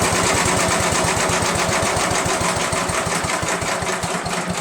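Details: Small single-cylinder engine on a chipper shredder runs with a quick, even beat about four per second after cylinder head removal and valve seat lapping; starts on one pull and holds steady, though leaking gas, owner suspects a pinhole.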